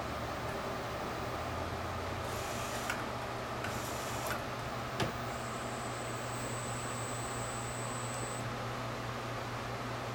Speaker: Did you just heard the hissing sound? Printhead seems to be okay.